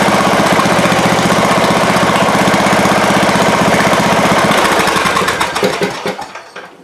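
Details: Craftsman riding-mower engine, unrun for a couple of years and just transferred into a Husqvarna mower with fresh oil, starts easily but runs a little poppy with an uneven exhaust popping beat; owner blames long sitting, unconfirmed.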